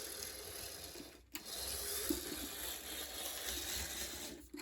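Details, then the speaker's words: Bachmann Santa Fe F9 HO scale locomotive, started with a push, runs weakly: faint light whirring with fine even ticking, no sharp clicks or skipping; no cracked gears heard. "That seems weak. However, it does not sound like this locomotive has any cracked gears, which is a good sign."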